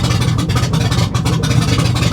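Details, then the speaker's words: Salvage-auction vehicle idling with a loud, uneven pulsing rumble and ragged bursts, sounding awful; rough running, possibly an exhaust leak, cause unconfirmed. "Yeah, that sounds absolutely awful."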